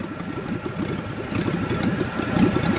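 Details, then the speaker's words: LS-swapped Miata kart in second gear at about 400 rpm: slow, uneven chugging pulses as if about to stall; engine lugging at too low revs. "sounds like it's gonna die oh cause it's in second and it's at like 400 rpm"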